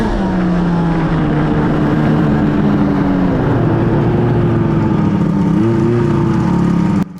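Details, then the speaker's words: 2005 Arctic Cat F6 two-stroke snowmobile that won't go past 70 km/h and has had no maintenance: held at wide-open throttle it drones at a low, wavering pitch and never climbs to a high-rev howl, so it is bogging; owner suspects the clutch. "so if you guys can hear that, the sled sounds like absolute crap. I really don't know what's going on at this time. I think it's clutch"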